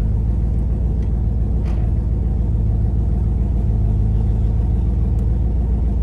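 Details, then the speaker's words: Carbureted Mustang driven home after a breakdown from a dead battery and flooded carburetor: deep heavy rumble with an uneven, lumpy beat that never settles; engine running rough under load. "all right we're paused now we're going home you can actually hear how terrible this thing will run"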